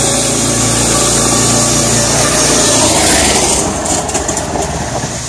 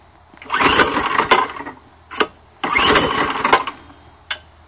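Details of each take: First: Small single-cylinder gas engine on an electric-to-gas golf cart conversion, just rope-started with choke: quick, steady beat, then easing off; runs evenly with no knocks or misses. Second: Choked, rear-pull recoil small gas engine on an electric-to-gas golf cart conversion: two hard rope pulls, each a short burst of rattling turnover with no firing, because the ignition switch was left off.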